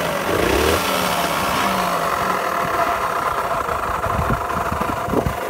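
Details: Kawasaki KSR50, starting: small single idles with an uneven, lumpy beat and a rattle riding over it. Abnormal engine noise, source not identified.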